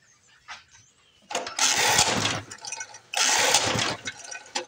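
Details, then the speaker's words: 1982 Snapper Hi Vac mower stored for years, air cleaner refitted: two short bursts of ragged firing that die each time, won't keep running; owner suspects a plugged air filter. "yeah Corners maybe this air filter is plugged a little bit"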